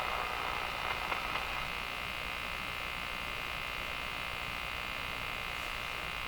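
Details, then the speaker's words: Westinghouse 535 radio after replacing last old capacitors: constant hissy buzz with thin steady whine, no rhythm; front-end oscillation on both AM and shortwave, cause unknown, owner wonders if alignment is off. "It's both the AM and the shortwave doing exactly the same thing when it comes to the front end oscillation."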